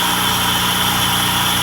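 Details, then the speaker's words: J-series V6 swapped NA Miata warmed up: even steady idle, idle air control valve sucking noise gone, faint high whistle from sharp edges under the engine cover; normal warm idle. "So the engine's pretty warmed up, and you can hear that that loud sucking noise coming from the idle air control valve has stopped."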